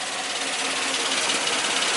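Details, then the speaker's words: 2002 Suzuki XL-7 H27 2.7L V6, 130,000 miles: dense, tinny metallic rattle from the front of the engine over hot idle, worsening over the last 10,000 miles; worn #1 timing chain tension adjuster, due for replacement. "uh-oh sounds like we got some marbles in the engine it's not not a good sound well guys today we're going to be working on my own 2002 Suzuki XL7 and it's got the infamous timing chain tensioner rattle"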